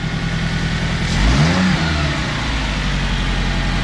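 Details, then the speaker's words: 2006 Toyota Hiace just after a full service including spark plugs, run to check for oil and coolant leaks: a quick clean rev settles back to a steady, even, quiet idle with no miss or shake; healthy. "Okay, she runs very quiet"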